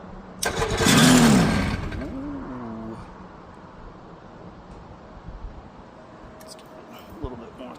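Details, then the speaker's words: Quicksilver ultralight, starter recently rebuilt, battery reportedly fully charged: a loud crank of about a second and a half dies away without catching; owner unsure whether battery or starter is at fault, 50/50. "I'm going to have to test the battery. Said it was fully charged. It might be the starter. Might be the battery."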